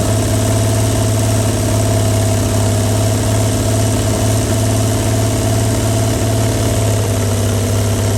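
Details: 1937 Chevy truck six, sitting about 45 years, steady even low idle with no knocks or misses while running on ether/starting fluid; carburetor froze up from the ether, but it runs.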